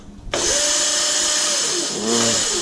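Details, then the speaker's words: Razor MX500/MX650 with a 2000 W Vevor brushless kit and 48 V battery at 54 V, fully charged, with the controller in its lowest speed setting. It holds a steady, fairly low whine that sounds weak: low motor speed in lowest power mode. "sounds kind of weak. Oh, it's P. Lowest setting."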